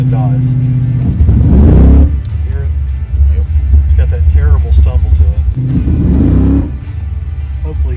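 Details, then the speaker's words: Chevrolet Malibu with a carburetor dead spot: engine revs in two hesitant bursts from a lumpy idle when the throttle is mashed from about 1800 rpm on the foot brake. Owner suspects pump cam and squirter, plans to replace them. "can hear that dead spot carburetor you can see the difference between my foot going down on the pedal and the car taking off"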